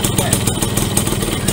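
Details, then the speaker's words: Yamaha V75 72cc two-stroke after bore-up, piston fitted and clutch repair (complaint: no power, hard climbing, rough idle when hot): quick, even popping at a steady idle with no stumble or rattle, now fairly smooth, a normal idle. "ini kita coba dengarkan suaranya sudah lumayan halus ketimbang yang pertamanya teman-teman yang pertamanya kan banget ya"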